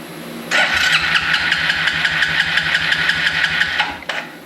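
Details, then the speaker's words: Free yard-sale Suzuki 4-wheeler unrun for years, compression test cranking with carb off: starter whirs about 3.5 s with strong even compression beats; reads 170 PSI, judged excellent. "wow I was not expecting that the way this thing smoked 170 PSI I don't know what the book is on it but that is excellent"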